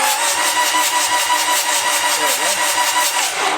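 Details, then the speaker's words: Toyota B diesel in a 40 series LandCruiser, first start after rebuild, cranked with the glow plugs out to remove compression and check that all injectors fire: quick, light, even starter spin with no compression puffs or firing. "so what we're doing here might look a little bit weird we're cranking it over with the glow plug out of course so it doesn't have compression and also so we can make sure that all of the injectors are firing properly"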